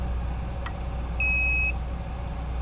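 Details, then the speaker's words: 2013 Hyundai Tucson with intermittent electrical faults (driver window, radio, can't shift out of park): pushing and wiggling the multifuse in the fuse box gives a sharp click, then a steady half-second chime as power returns; loose multifuse causing intermittent power loss. "And you could hear it click and you could see it come on. And now the car is going to stay fixed until it works itself loose again."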